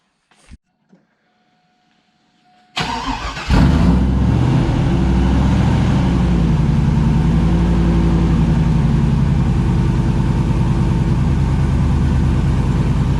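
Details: 5.3 V8 with Texas Speed 224r cam, untuned, first run in the truck: cranks, catches and settles into a deep, even, slightly lumpy idle with no knocking, clanking or clatter; sound, healthy engine.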